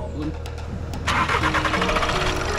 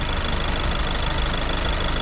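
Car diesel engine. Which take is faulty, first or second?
first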